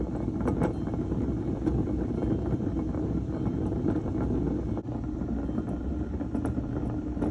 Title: Honda dio scooter bad wheel bearing